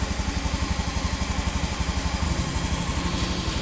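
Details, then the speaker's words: Honda Beat ESP (FI) engine idling after piston replacement and crankcase cleaning; even, quick, steady, smooth beat with no roughness. Previously rough noise from the head at 4000–5000 rpm from stuck/worn oil and second compression rings after oil ran out and overheated. "Ini suaranya sudah halus, sudah seperti standar."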